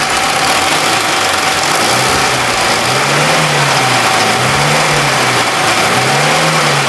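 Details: Engine run with small screws and a bearing ball dropped into the cylinders; harsh clattering revs rising and falling with rough metallic rattle; head removal shows smashed piston and cracked cylinder wall.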